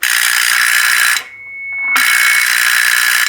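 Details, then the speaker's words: NuTone 478 apartment intercom door release, mechanism missing its suppression diode: harsh rattling buzz with a thin high whine, briefly cut then back; door release buzz rattle, technically wrong operation. "that's the sound that almost everybody expects to hear when being quote buzzed into a building it's the rattly sound of the mechanism inside the door release that is technically wrong"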